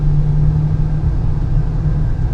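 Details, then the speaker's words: 2015 Honda Pilot on a test drive in 102°F heat after a wheel bearing replacement, with the axle nut torqued. Steady low road rumble at speed, with no whine or hum where the noise was heard before: wheel bearing noise gone. "and now you don't really hear much. Okay, actually you don't hear nothing right now. Now the noise is not there no more."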